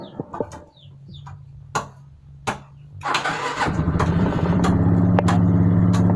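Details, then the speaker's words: Suzuki Skydrive 125 automatic scooter, long unused, starting after the dead battery was replaced; starter churns briefly, engine catches at once and settles into a steady even idle; normal start and idle. "hidup ya motor ini. Kendalanya berarti pada baterainya tadi."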